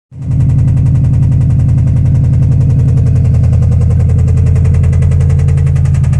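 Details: 2005 Subaru STI, about 130k, nearly stock with only a Tial Q blow-off valve; loud, heavy, rapid, deep regular knocking over the idle throughout, suspected rod knock, not confirmed.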